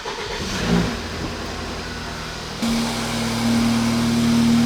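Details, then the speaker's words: 2012 BMW 328i F30 with N20 engine, first cold start after turbo replacement (previously smoked on startup, wastegate rattle): catches and settles into a steady fast idle with faint even hum, no rattle, zero rear smoke; normal cold start. "so we got zero smoke out the rear and i've heard the videos of these engines brand new and they aren't necessarily quiet but that sounds pretty quiet to me right on cold start"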